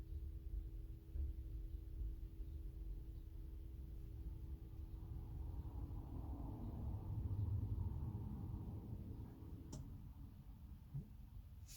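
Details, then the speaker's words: 2007–2011 Mercedes Sprinter W906, OM646 diesel, after fuel filter replacement, ignition on engine off; faint steady electric hum, then relay click and stop; normal fuel pump priming. "Just let the fuel pump run for a minimum of 30 seconds. I like to do this a couple of times just to ensure that the fuel pump does not run dry."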